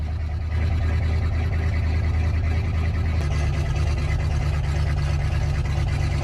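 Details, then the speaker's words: 1985 Chevy K-20 square body just started, warming up: deep, loud unmuffled rumble at steady idle with heavy low drone, because the muffler and catalytic converter were cut off. "sounds good don't it cuz the cuz the muffler hacked off of it along with the catalytic converter she breathes better that [Music] way"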